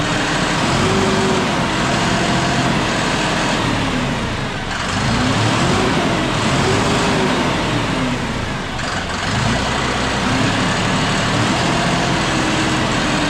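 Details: John Deere 5067E diesel tractor at 30 hours, after loose intercooler/turbo boost hose clamps leaking boost were tightened: engine pulls steadily, pitch rising and falling with load, no whistle, knock or hiss; normal running.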